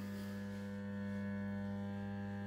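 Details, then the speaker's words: UNION AUER Unalux 681 street lantern (1970–1977), 125W mercury (BF) lamp, E27, 220V 50Hz, ferromagnetic ballast with capacitor, at full brightness with shell-shaped bowl fitted: steady low hum with faint buzz, still somewhat noisy as an old model; normal ballast hum. "bon, voilà, ça fait toujours un peu de bruit quand même, hein, vu que c'est un vieux modèle."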